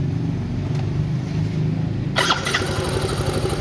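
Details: Scooter CVT after replacing pulley washer that previous mechanic installed backwards (inside): starts and settles to smooth idle, short throttle blip with no rattle or whirr; drive now quiet, though bushing play noted.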